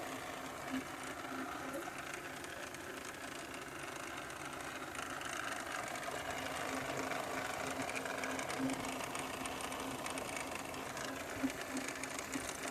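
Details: 2013 Volvo XC60: a light, rapid ticking at about three per second runs through a quiet engine hum; a strange engine noise whose source is unclear.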